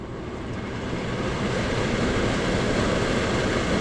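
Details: Steady rush of moving air that builds slightly and holds even: an HVAC blower fan running normally, with a current switch sensing fan airflow to close its contacts.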